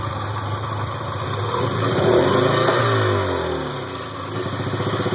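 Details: 1977 Porsche 924, 2.0L with CIS (K-Jetronic) fuel injection: idle hunts and surges, loping about four beats a second and swelling unevenly; rough idle, cause not yet found.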